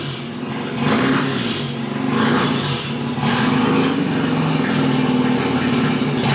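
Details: Mazda RX-8 rotary, hard cranking with no start: slow rhythmic cranking, roughly one surge per second, tone shifting as it labours and as the gas is pressed, never catching. Owner suspects plugs or insufficient fuel.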